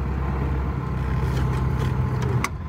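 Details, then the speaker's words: 1950 Pontiac Chieftain on a test drive after sitting a long time, running on fuel pump pressure: low steady engine note with road noise, no knocks or misses, pulling smoothly. Normal running. "i think it's time to take it for a test drive and see how it runs all right let's give this a go hope i don't need to call a tow truck to bring me back the engine sounds good"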